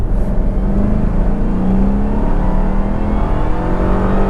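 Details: Jaguar XKR under full-throttle acceleration after exhaust valves were cable-tied closed and fuse 19 removed, routing exhaust through the silencer box: deep steady drone with muted exhaust note, no rattle or knock; healthy.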